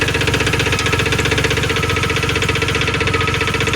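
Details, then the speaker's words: 2002 Ford Explorer Sport, 4.0L V6, 5-speed manual 4x4, 250,000 miles, after new coil pack and plugs: sharp steady ticking at idle, no check-engine code, smoke near one cylinder; owner suspects a stuck valve or exhaust leak. "I'm not exactly too sure exactly what the problem is on that thing. It sounds like a stuck valve to me or it could be an exhaust leak."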